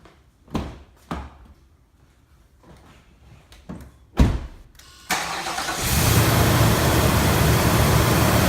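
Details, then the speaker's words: 2017 Nissan Titan Pro-4X 5.6L gas V8 after installing a K&N 63 Series cold air intake, engine cold: several short cranking bursts, catches at about five seconds and settles into a steady, even idle; starts normally, no warning lights. "all right so it started right up no engine warning lights"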